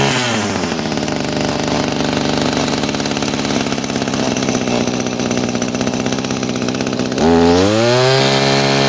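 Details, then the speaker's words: 22-year-old Echo two-stroke string trimmer running on its old carburetor with a worn, not-quite-correct metering diaphragm swapped in: steady buzzing idle, but it still hesitates when revved; a new carburetor is coming. "it's still got a bit of hesitation. That diaphragm I put in there was pretty bad as well."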